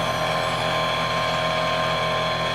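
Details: Kaivac No Touch Cleaning System internal pump running unprimed (air-locked) beside the running vacuum motor: a steady high whine with a hollow, unloaded drone. The fix is sealing the vacuum hose to the pump and pulling the gun trigger; the sound changes once primed.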